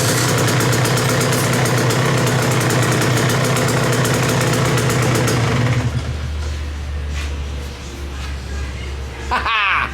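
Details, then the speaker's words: KTM 125 XC two-stroke with a starter that had failed, after a wiring connection was tightened: starter cranks steadily for about six seconds, then the engine fires and settles into a smooth idle; electric start fixed. "i think we're good to go i think we fixed it oh that makes me happy"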